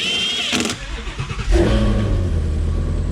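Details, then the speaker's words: Ford Mustang GT350 with twin-turbo built engine, after build: catches, blips up briefly, then drops into a deep, steady idle with no knocks or misses; flawless, normal start and idle. "Literally flawless."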